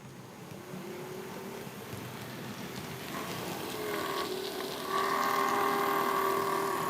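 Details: Bachmann class 47 model loco, after full run-in and lubricating worm ends and prop shafts, in the bad direction: thin rough whine rising with speed; owner suspects dry motor bearings, unconfirmed.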